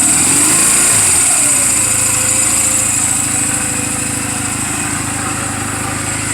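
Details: 2007 Honda Rebel 250 idling in neutral just after an oil change and valve clearance adjustment: the engine settles from a blip into a steady, even quick putter, running cleanly. The engine is mechanically sound, a normal healthy idle.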